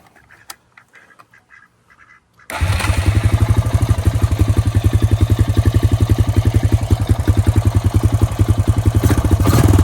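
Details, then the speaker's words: 2002 Honda Rancher ES ATV, sat 12+ years, after carburetor cleaning with new battery: after a quiet start fires into a steady, evenly spaced thump at idle with no stumbling; running well, idle to be adjusted. "I'm going to adjust the idle after cleaning the coper see like it's running pretty good now"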